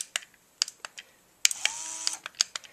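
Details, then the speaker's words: BEME e-Rod motorized curtain drive unit, taken off the rod to rule out binding: sharp dry relay clicks in small groups with faint brief hum, moves one direction but not the other; owner suspects a broken relay inside. "oh there goes that direction stop it's not going in that direction it's going one direction but not the other"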